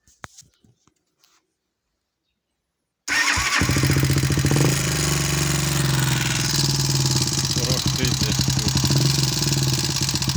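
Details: Small motorcycle single starting and idling with a steady knock about four beats a second; crankshaft and conrod fine, piston replaced, valves adjusted, knock remains; cause unknown.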